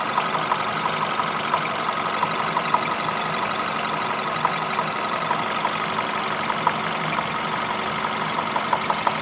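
Even idle with a sharp light tick about three times a second riding over it; a knock is present, cause not identified.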